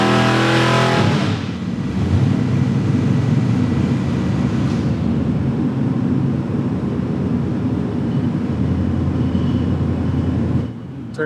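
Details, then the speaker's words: 540 cu in big-block Chevrolet with two spark plugs per cylinder (16 plugs) and dual ignitions on two sensors: a loud, lumpy idle that smooths out and picks up RPM once the second ignition is switched on. "So we'll start this up on one ignition and then turn on the second edition while it's sitting right there. Right. All right. So, you can hear it actually just picks up RPM."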